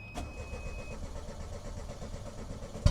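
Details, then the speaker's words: 1993 Geo Metro right after fuel pump replacement: steady rhythmic cranking for about three seconds with no firing, as the new pump hasn't yet primed fuel back into the lines. "You want to give it time to prime, because it's not going to fire right up if you don't give it time to prime and get more fuel back in the lines."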